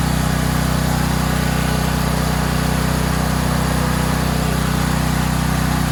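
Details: Valsi generator small engine, push-button start with choke, final test run: settles into a steady, even idle with a smooth low thrum and no misses or knocks; runs healthy.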